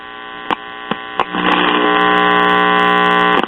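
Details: One-tube Bel-Aire/Airline (Montgomery Ward) three-speed record player, about 1953-54, amp run with volume control bypassed by a 470k resistor from output tube grid to ground: loud steady mains hum once warmed up; intermittent volume control suspected.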